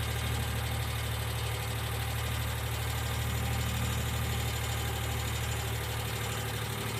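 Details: 1995 Geo Metro three-cylinder idling: light, fairly even ticking over the low hum, sounding like lifter tick at idle. B-12 fuel injection cleaner is added to the engine oil before an oil change.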